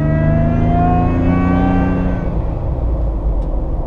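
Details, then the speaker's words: Lifted Toyota FJ Cruiser, twin-screw supercharger on stock pulleys at 6 psi boost, while driving: clear whine rising in pitch with engine speed under acceleration, fading as throttle lifts — normal, healthy twin-screw supercharger whine. "It's exactly how a twin screw supercharger is supposed to sound. It has a whine to it."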